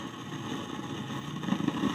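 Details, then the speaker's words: Samwon AV-602USB/BT amplifier: loud steady rushing hiss like surf and wind from the speaker even at zero volume, abnormal scratching noise heard under quiet music; volume control thought not to be the cause. "maririnig mo talaga yung ganyan na ingay na Inay na yan kumuskos"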